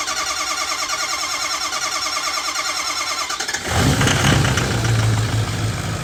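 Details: 6.0 Powerstroke diesel after full engine rebuild: starter cranks about three beats a second for nearly four seconds before it abruptly catches and roars; hard start, cause unknown.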